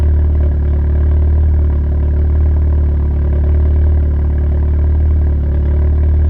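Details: Steady low idle with a slow uneven dip in the beat about once a second; owner suspects an intake manifold related misfire at idle, unconfirmed.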